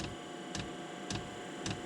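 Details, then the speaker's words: Diesel heater under the hood of a Land Rover Defender, first run on battery power with a dry fuel line: dosing pump ticks sharply and evenly, just under two per second, while priming fuel; normal. "it is on and running i hear the fuel pump it's going to take a minute to suck enough uh suck the fuel all the way up the line cause the line's dry"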